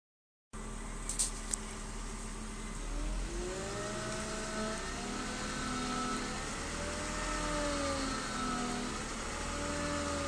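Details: BMW E36 320i with new MAPCO power steering pump, fluid changed several times: thin whine rising and falling in pitch as wheel turns, increases with steering; cause not found.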